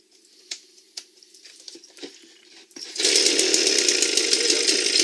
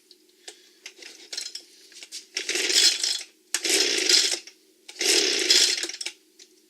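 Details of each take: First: Echo leaf blower, small two-stroke, that previously wouldn't start, running after its clogged spark arrestor and a blocked carburetor channel were cleaned: handling clicks, then it fires and holds a steady high buzz, running properly. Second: Echo leaf blower reassembled with new parts: repeated rasping pull-cord strokes about every 1.5 seconds, no firing; primer bulb not bubbling, seems not to be drawing gasoline, won't start.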